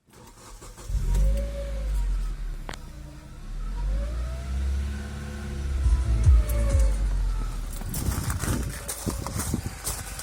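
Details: 2006 Hyundai Coupe 2.0 (gen 3.5), engine bay: a bearing-like whirring hum rises and falls with throttle blips, peaking around 1500–1600 rpm; caused by an overtight cambelt straining the pulleys, which was fixed.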